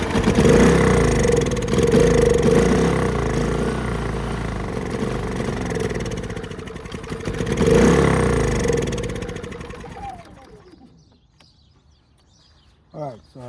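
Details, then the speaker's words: Predator 3500 generator, crank-no-start: fires and runs briefly on sprayed carb cleaner, then spins down to silence. Fuel bowl empty, no fuel reaching carb; fuel starvation from blocked fuel line. "you can tell there's a fuel delivery issue so I'm we'll take a look and see what's going on with the fuel management system"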